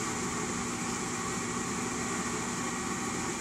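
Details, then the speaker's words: RUUD gas furnace just after replacing a pressure switch with bad contacts (it only started when tapped): steady, even airy rush with no knocks, wobble or squeal as the draft inducer runs before ignition; normal inducer run. "takes a few seconds oh there she goes so that means we're working all right let the heat kick in"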